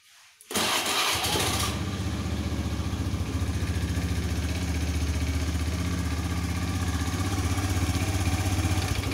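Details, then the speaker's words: Honda Scoopy PGM-FI scooter, harsh clattery uneven idle with thick white exhaust smoke; worn piston suspected, or possibly valve seals, before piston replacement. "Nah, dengaran suaranya kemelotok ya. Suaranya kasar, terus keluar asap putih tebal. Itu kemungkinan piston ya, atau enggak seal klepnya."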